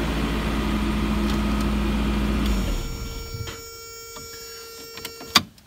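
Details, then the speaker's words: 1990 Toyota pickup, 29 years old, idles with a steady, even hum and no stumble or miss before shutoff; the hesitation and backfire were cured by replacing the clogged, dirty idle air control valve with a junkyard one. "I replace that one from the junkyard it has been running a lot better"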